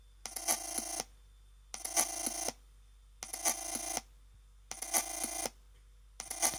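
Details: Chromebook Pixel running Ubuntu making phone-like trilling bursts under a second long, repeating about every 1.5 seconds; odd electronic chirp, cause unknown.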